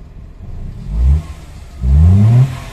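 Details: 2015 Hyundai i10 automatic that previously cranked without starting, now running: two quick throttle blips climb cleanly and drop back to idle without stumbling or rattles.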